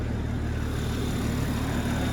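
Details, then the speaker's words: Wrecked 2020 Toyota Supra, warm idle: steady, even smooth low hum with radiator fan whooshing; fan working, no leaks, radiator components fine; normal healthy idle. "drive i have to take this thing on the test drive man it sounds so sick"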